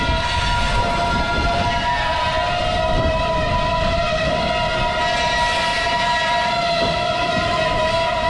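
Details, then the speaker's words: Norfolk Southern train on a lightly used branch line, steady high wheel-flange squeal over rolling-car rumble; track has deferred maintenance and is slightly out of gauge. "NS has done some minor upgrades to this line. I've seen some maintenance away equipment parked on a siding down the way, but you can hear those flanges squealing."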